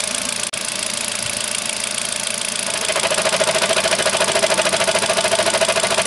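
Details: Kia with about 30,000 km knocks when pulling away in first gear. Fairly even knocking, three or four per second, strengthens as the car moves off; the cause needs inspection.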